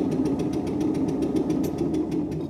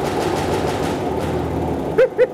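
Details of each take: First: Stuart Turner P5M 2-stroke single-cylinder inboard boat motor, first start with idle speed cam set for extra fuel: small puffing and popping in quick, ragged beats, catching but not yet settled; uneven firing on first start. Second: Stuart Turner P5M two-stroke single-cylinder inboard motor in a 1958 Windermere launch, first start after revival: quick, even popping at a steady beat with no misses or knocks; smoky but running cleanly.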